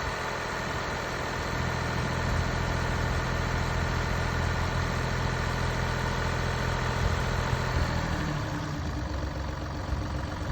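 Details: Mini Cooper D three-cylinder diesel at idle: loose, uneven rattling chatter under the clatter that changes near the end, from a broken dual mass flywheel, which holds the clutch springs and fails through wear and tear.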